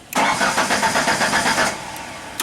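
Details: Genie construction lift engine with dead check engine light, computer possibly offline: starter spins about seven even pulses a second for a second and a half, never catches; crank, no start.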